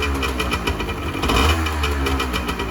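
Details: 1986 Honda NS400R 400cc two-stroke triple just after start following 11 months unused; crisp burbling and blipping, revs rising and falling smoothly, no knock; healthy, though oil light is on despite plenty of oil (owner suspects oil level sensor connection).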